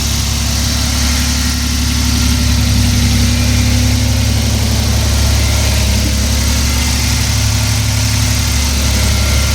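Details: 1994 Toyota T100 V6 after the misfire fix, with the wires zip-tied into their holders: smooth, steady low rumble with an even beat and no stumble or miss. Idling cleanly on all cylinders.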